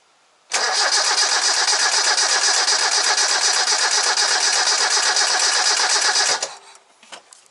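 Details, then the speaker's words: Toyota 4A-FE car that previously ran fine, battery good, cranking during a spark plug test: brisk cranking about four beats a second with no firing and no visible spark; distributor almost certainly at fault. "I can't see any spark there. So in the case of having no spark, like I've just demonstrated there, then your issue is almost certainly going to be the distributor in this."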